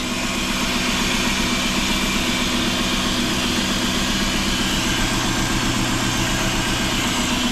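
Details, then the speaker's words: Rusty 2005 Dodge Neon SXT 5-speed, long-sitting with old gas, running while being parted out: engine idles evenly with a thin steady whine over it from the power steering pump. Finding: power steering pump whine. "let's let's see what this motor sounds like out here are steering pumps making some noise"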